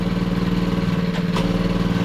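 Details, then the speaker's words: Long-sitting pit bike, kill switch not working: small single idles with a quick, steady, even putter and no misses, though a slight gear noise is heard; normal idle. "I'm just going to let it run for a second it's not going to touch it not going to touch it but it does sound good"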